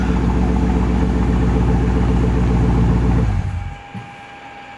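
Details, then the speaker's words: 2012 Chevy Camaro SS V8 remote-started after a salvage trunk lid repair: deep, even burble at about four pulses a second with no ticks or misses, then fades. A healthy idle that starts up nicely. "thing starts up so nice."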